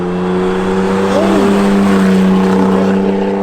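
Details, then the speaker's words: Isuzu VehiCROSS mid-rebuild (new tie rods, shocks, front bushings, trans fluid), flyby test: engine note climbs cleanly as it pulls past, steady, no knocks, misses or rattles; sounds healthy, though earlier it sounded a little funny. "you know what the ultimate test is what flyby oh sounds healthy"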